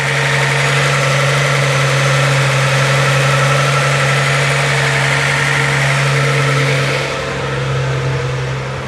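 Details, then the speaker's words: Z car restarted after tightening a fitting to stop a leak: a smooth, steady idle whose note drops and softens as it warms. The fast idle is settling toward normal. "yeah now it's running closer to normal it's not idling as high as it was"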